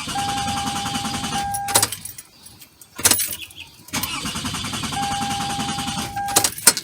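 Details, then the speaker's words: 2004 Toyota Sienna 3.3 L that was completely dead: starter cranks steadily in two long tries with a chime in the background, but the engine never catches; crank no start caused by a blown fuel injector fuse. "it happened to everybody it has happened to me it will Clank but it won't start"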